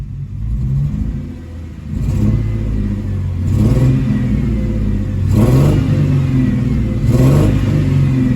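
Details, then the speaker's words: Ford Thunderbird: a rough, shaking engine lurching through revs with two cylinders dead, a multiple-cylinder misfire suspected from coolant that leaked onto the fuel injector wiring harness during overheating; the cooling fan fuse had also blown. "that's a huge misfire so what started out as a simple overheating problem has turned to a misfire problem"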